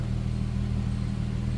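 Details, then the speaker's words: 1999 Plymouth Prowler roadster, 3.5 liter, about 19,300 miles, cold start, heard from the rear at the tailpipe: low even idle burble with no misses, ticks or knocks; stock, healthy exhaust note. "Sounds stock as it should."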